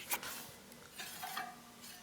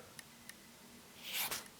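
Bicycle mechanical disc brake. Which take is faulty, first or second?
first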